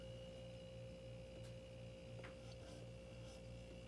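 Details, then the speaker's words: Frigidaire LFPH33M4LM mini fridge that had stopped cooling, just after reconnecting the compressor starter relay: faint steady low hum with constant mains buzz and no clicking. Compressor started and runs normally; it later cooled below 60 degrees. "oh i can actually hear the compressor humming now so it started up it's running"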